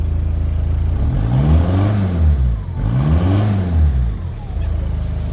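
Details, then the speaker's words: Talbot Express van converted to a 2.0 HDI Peugeot DW10RHY diesel (20psi boost, R70 BMW fuel pump, MR2 intercooler, tuned), stationary: steady idle with two clean rev blips climbing and falling smoothly, no smoke, no misses or knocks; normal free revving. "You can see it's not smoky. Little tough. Runs clean as anything. sounds pretty good, too."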